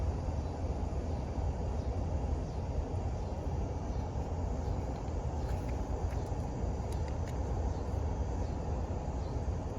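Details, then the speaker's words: Air conditioning system on a no-cooling call, run capacitor had been bad, float switch found removed from pan: continuous steady low hum and airflow rush with no cycling or dropout; unit still running normally. "Let's have a listen. Does not sound like the unit stopped."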